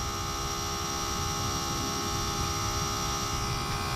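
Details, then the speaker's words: Maddog GY6 scooter, Amazon 28gph electric fuel pump replacing vacuum pump: constant electric hum and steady whine continuing after float bowl fills and fuel stops, pump holding head pressure against closed float needle; normal pump operation. "But whatever's inside must know to turn the fuel off and keep the pump spinning, so I guess fuel's easy to pull."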